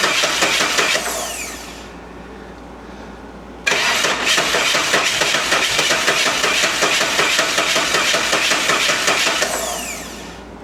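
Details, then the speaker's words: 1988 Saab 900 Turbo after repair: starter spins briefly, then engine catches and settles into a steady, even run; starts cleanly and runs normally after Hall sensor replacement and a second small fix. "Everything is working."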